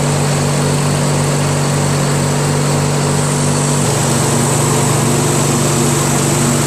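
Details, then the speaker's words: Craftsman DYT4000 tractor with 14hp Briggs opposed twin repower, electric PTO engaged with blades turning after idler tension released: smooth engine note dropping slightly in pitch as load comes on, charging holds about 12.2-12.25 V at low idle; runs fine. "and now the PTO is on so as you guys saw uh with the engine idling like this at low idle still charging slowly at 12.45"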